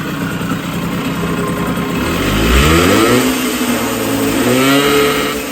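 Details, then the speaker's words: 1980 Puch Murray moped with a Tomos A35 top end, Mikuni VM18 carb and custom Estoril pipe, somewhat warmed up at about -3 °C: revs rise and fall in uneven blips rather than a clean climb; owner says it needs a lot more tuning. "this thing is definitely going to need a lot more tuning, and it's still -3 degrees or so right now, so pretty cool."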